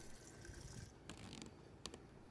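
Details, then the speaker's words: Husqvarna chainsaw (won't start, leaking fuel): pressing the purge bulb gives soft squishy clicks and a trickle of fuel, which flows up the filter line into the carb, out its left port into the bulb, and back to the tank; fuel circulating normally. "so when pressing the ball but fuel should flow up the filter line and into the carb it will then leave the carb through the left side port and into the short port and fill the bulb and then leave the bulb and return back to the tank"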